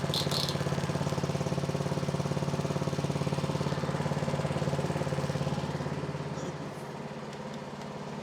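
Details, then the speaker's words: Repaired snowblower (MTD) single-cylinder engine, about 2–3 years old, now warm, restarted without choke: fires evenly at a steady idle with no misses, knocks or hunting, running like a champ. "See if it'll fire out without choke. Nope. Runs like a champ."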